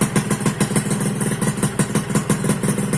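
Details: 2001 Suzuki Satria two-stroke, running after its lost-ignition no-start was traced to a failed on/off button in the right handlebar switch: crisp, evenly spaced popping at steady idle with no misses; healthy idle.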